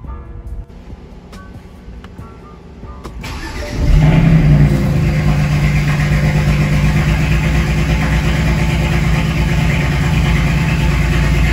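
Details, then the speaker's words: BMW 335is with swapped-in N54 engine, first start: cranks and catches after about four seconds, then uneven, lumpy idle; codes for cylinder six misfire and exhaust VANOS solenoid. "the only thing is it's complaining about a misfire on a cylinder six and the vanos solenoid for the exhaust side"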